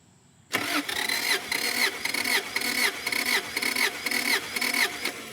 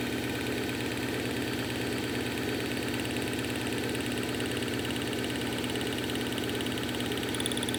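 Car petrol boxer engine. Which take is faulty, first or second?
second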